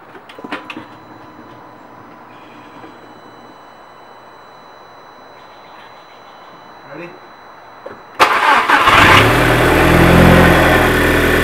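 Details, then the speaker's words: Car just after clutch slave cylinder replacement and bleeding, cold start: several quiet seconds, then a short crank catches right away and settles into a steady, even idle; a clean cold start. "Good for that cold start. Not bad."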